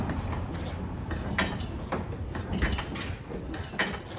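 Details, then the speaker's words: Barn-find 1947 Willys CJ2A, long sitting: a single sharp click roughly every second with no cranking whir after it. The starter solenoid works but the starter motor does not. Faulty starter. "Same deal. I think the starter solenoid's working. The starter is not."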